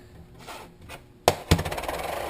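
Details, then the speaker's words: Rotax 600cc crankshaft main bearing from a 500SS, inspected by hand: sharp knock then dry gritty rattle as it spins down; worn, dry bearing. "Fait que le son qu'on va avoir d'un bearing fini, c'est ça, quand il est sec."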